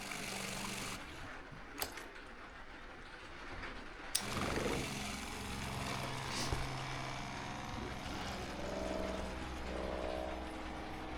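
A steady, low, even hum of a small pump running smoothly as water fills the lines, with no surging or rattle.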